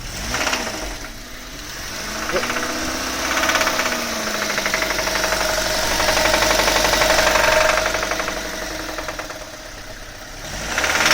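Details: 2000 Honda Civic run dry on oil, with nothing on the dipstick. Loud, regular deep knock about four times a second that rises and falls with the revs. Rod knock.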